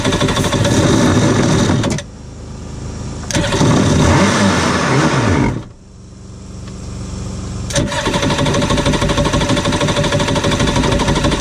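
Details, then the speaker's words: 1993 Yamaha WaveRunner 650LX two-stroke, revived after a seized engine and a new carb, on new mixed gas with the fuel valve switched to on: crisp buzz rising in quick rev bursts and settling back, clean and even; it runs all right. "[Laughter] you know what she runs all right let's put some more stuff together on it"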